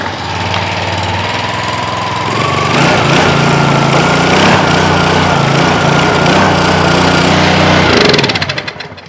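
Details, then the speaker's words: Small engine on a free pressure washer from the dump, started with choke on after fuel turned on and checked for leaks: starts, settles to an even, steady drone for about five seconds, then winds down; engine runs normally. "That sounds good. So, the engine is a runner."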